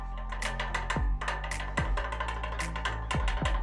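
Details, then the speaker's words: Ceiling fan removed from ceiling and rocked by hand; customer reported intermittent tick-tick noise while running; loose, uneven knocks in quick bursts from a worn shaft or bearing: ceiling fan shaft or bearing play knock. "இந்த ceiling fan ஓடும்போது சத்தத்தை கேட்டிருப்பீங்க. Tick tick tick டிகி டிக்குன்னு வருது. இந்த சத்தம் கண்டினியூஸா வரல."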